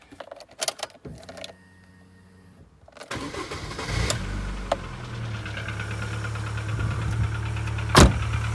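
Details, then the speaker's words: Newly bought gold 25, rare spec, starting in neutral (owner thinks battery needs changing): sluggish cranking, struggles to start, then catches into rough idle with brief light ticking that soon fades. "a little bit of tapping they've gone now that's pretty that's pretty good going now it did struggle to start up then"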